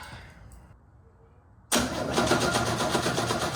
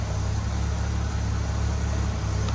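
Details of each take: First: 1969 Chevrolet C10 inline six, sat about 9 months, inline spark checker fitted: steady cranking for about 2.5 seconds, then short stabs, and it never catches. It sparked before but not after running briefly. Crank, no start, no spark. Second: 1969 Chevy C10 inline-six after fixing a broken bracket that wasn't holding down the intake, which had caused an intake leak. Low, even idle with a smooth beat and no misses; normal idle, running better.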